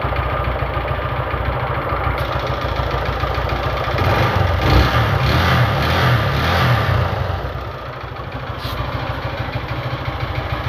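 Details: Honda Fan 150 single-cylinder: heavy loud mechanical clatter swelling with revs then settling to idle; neglected oil changes suspected; loud engine knock.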